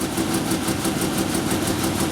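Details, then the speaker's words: 1997 Ford Ranger first start after rebuild work, with slight rev: lumpy, stumbling idle with choppy uneven pulses; misfiring because spark plug wires were installed out of firing order. "give it a slight rev yeah yeah yeah shut it down yeah it's firing out of order"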